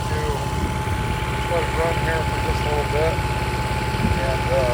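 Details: Restored long-stored 6.5 kW gas Kohler marine genset from a houseboat, bench run with bucket water pickup at about 30°F; steady smooth low idle rumble, no knocks or hunting, healthy.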